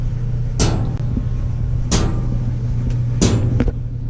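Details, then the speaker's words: Maytag LDE6914ACL dryer running with steady low hum and sharp knocks about every 1.3 seconds, tapping at the top: loose top panel, not drum rollers. "I got the feel right and here's something's tapping the top here so we'll be opening that up and seeing what's going on"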